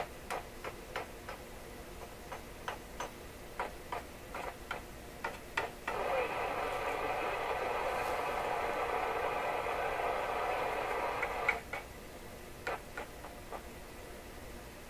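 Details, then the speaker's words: DeForest Crosley shortwave tube radio after IF alignment to 456 kHz: sharp irregular ticks and clicks with each light tap, then bursts of rough crackly hum; suspected loose mechanical contact, possibly the audio tube, preset selector switch being checked. "it's quite nerve-wracking to think that a radio could be in this state, which I think is just a mechanical contact problem, and I could be troubleshooting it with this mechanical contact problem in it, running all over the place."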